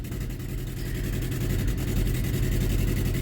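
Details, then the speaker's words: 2012 Chevy Equinox/Terrain after engine install, first start: low idle with uneven stumbling pulse, one cylinder dropping out; misfire at idle, code for cylinder 3 coil, coil likely bad. "let's give another go well you can see it started much easier we still have a misfire"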